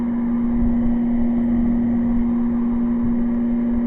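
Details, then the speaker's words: Air conditioner running on cool from a solar setup through a power inverter. A steady low electrical hum sits under the fan and compressor noise. Electrical hum. "you'd like to say you can actually hear the home so I mean it is working"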